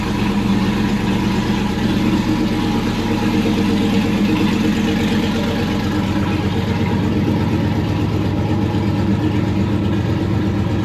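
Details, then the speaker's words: Freshly built aluminum V8 just installed, first run after a conversion harness wiring fix: loud, steady rumble holding an even idle with a slight rev, no knocks or ticks; 60 psi oil pressure; normal running. "stuff's coming up now let me get out sounds healthy come on yep i am uh pretty stoked"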